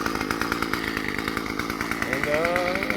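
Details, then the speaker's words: Murray M2500 bent-shaft two-stroke weed trimmer, curbside find, warming up after first start without throttle: fast, even buzz with a steady pulse around three per second and no misses; a clean, healthy idle. "definitely don't need to hold the [Applause] throttle just going to let it warm up a"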